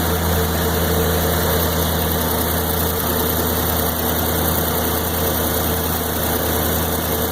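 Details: 1993 Corvette LT1, 42,000 miles: V8 idling with an uneven, lumpy beat and slight shake; rough idle that stutters when driving around town, cause not yet pinned down.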